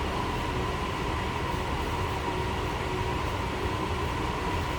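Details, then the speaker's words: 1969 Ford F100 Custom Cab, 300 cubic inch inline-six warming up in neutral after choke start, heard from the rear, stock-sounding exhaust. Smooth even low rumble, no misses, ticks or knocks; normal healthy idle. "pretty much sounds like you'd expect. 300 cubic inch i6 sound."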